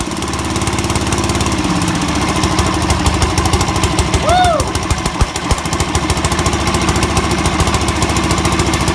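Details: 1969 Sears Suburban 12 garden tractor with a 10 hp single-cylinder diesel, first cold start, new intake manifold and 1" NPT exhaust adapter: steady chug with an even firing beat under a loud open exhaust, not very loud overall; running normally.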